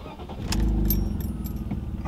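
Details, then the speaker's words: BMW E46 M54 after replacing cylinder 1 ignition coil (misfires had been logged on cylinders 1 and 4) and clearing codes: engine starts and settles into an even, steady low idle, running rounder; exhaust still has holes. "Da mai am găurile din toba de eșapament care trebuie rezolvate dar restul e ok mergem mult mai bine motorul acuma un pic așa mi se pare"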